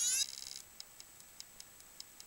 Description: this is a old ibm hard disk I have makes really weird sound its a 2.5inch laptop drive 720mb lol